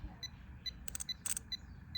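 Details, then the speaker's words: 2010 Jeep Wrangler that clicks on cold starts: starter relay tested by powering terminals 85/86, giving sharp clean clicks with tester beeps, so the relay works; the actual fault was a loose negative battery terminal. "that that part is ticking, it's clicking."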